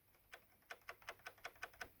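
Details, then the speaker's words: Casio CTK-3500 keyboard: sharp light clicks with each key press as the keys strike an internal button; fixed by putting tape on the button to soften the contact. "if those keys with that thing touch the button it makes a weird clicking noise"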